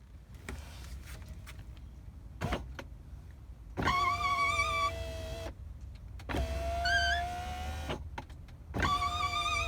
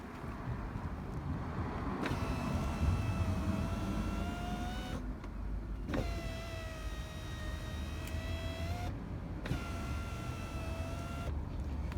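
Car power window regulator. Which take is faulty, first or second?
first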